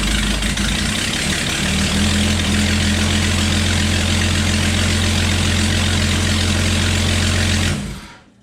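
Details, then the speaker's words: Jeep Cherokee XJ 4.0 straight-six after swap to a remanufactured engine: steady idle with a sharp ticking puff on each exhaust pulse, still a bad exhaust manifold leak; owner then tightens the exhaust bolts further. "So that's still a pretty bad exhaust leak. So let me try to tighten those exhaust bolts up just a few more and see how that goes."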